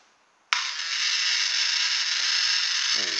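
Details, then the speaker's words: Small electric fan motor, previously burnt out in a quad fan hovercraft, run from a phone battery: sudden high-pitched buzzing whir at switch-on that stays raspy and slightly uneven instead of clean; burnt-out motor running rough. "Doesn't sound very good. Oh dear. I think we may have finally killed it."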